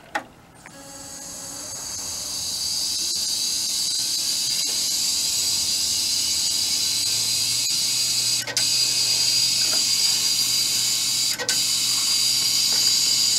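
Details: Old Dell desktop revived, with three hard drives including a Western Digital and one believed to be 320 GB: fans spin up into a steady, even airy hiss with a faint drive hum; it powers on and runs normally.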